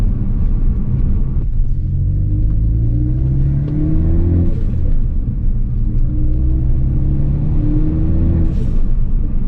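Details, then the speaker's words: Ford Focus ST, stage 2 tune, Turbosmart dual-port BOV on a true vacuum source, COBB intake with cover off: low drone in fifth/sixth gear at low rpm, whooshing flutter on throttle lift. Compressor surge at low or no boost. "you also get quite a bit of flutter when you're in fifth and sixth gear in your low rpm and you let off the throttle you'll hear the flutter go off because again you're under very low boost or no boost"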